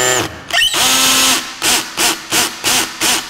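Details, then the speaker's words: Drill/driver on clutch setting 10 of about 20, driving a screw into a board: motor whirs, then the clutch ratchets in quacking bursts, slipping over small bearing-like detents at its torque setting and stalling the screw; drill clutch slipping. "That's the clutch mechanism. It's slipping over the top of some little bearing-looking things in there, and it's preventing me from driving this any further."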